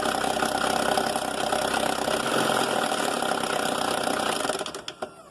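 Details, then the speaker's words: Mercedes A160 at idle: a busy metallic timing chain rattle until shut-off. The chain tensioner is dry and clogged, not tensioning, and losing its thread in the cylinder head, so the chain rattles loudly. "é vou falar aqui um pouco do barulho que faz da corrente de comando é faz um barulho feio pra caramba batem"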